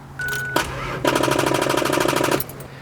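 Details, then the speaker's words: Car battery with bad terminal connection: fast, even clicking about fifteen per second when the key is turned, engine never cranks; fixed by replacing battery terminals and remaking the connection. "Uh, the reason being because this is a sound that I heard uh when trying to start my car and it wouldn't start."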